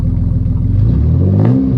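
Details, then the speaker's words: Turbo 3800 Camaro with newly built full 3-inch exhaust (muffler/resonator), first start with new serpentine belt setup; deep, smooth exhaust note on a light blip to about 2,000 RPM, settling back, no rattles or misses, quieter than before turbo; normal rev. "That was maybe 2,000 RPM. A little higher than I probably should have gone, but hey, it worked out. And it's not that loud."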